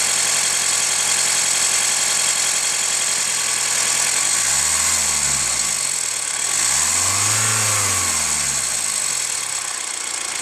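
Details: Hyundai ix35 CRDi 136 hp diesel, warmed up after a drive: idle with quick metallic ticking knock turning more ringing on light throttle; chain tensioner replaced by dealer 1.5 years ago, owner wonders about hydraulic lifters or tensioner; hot engine knock, cause unknown.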